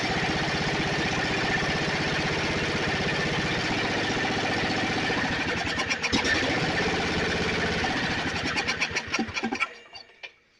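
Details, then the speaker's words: Snapper 28" riding mower, 12.5 hp Briggs & Stratton single-cylinder, hard-starting: engine runs steady and even about nine seconds, then stumbles and dies quickly as ignition is cut by grounding the coil with a screwdriver at the ground wire location. "Okay, so it started, and what I did is I reached into where this ground wire would have been, and I ground out the coil with my screwdriver."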